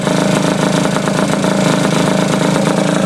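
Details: Honda Elite 50 two-stroke scooter with 30mm carb and newly installed Taida radiator, freshly started: fast busy buzz that never settles to slow idle; idling too high, owner suspects air bubbles still in cooling system, unconfirmed.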